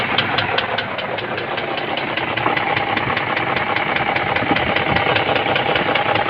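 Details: BMW X5 E53 with M62 4.4 V8 at steady idle, with a sharp, even tapping knock two or three times a second, apparently from the left cylinder head as seen from the driver's seat; cause unknown.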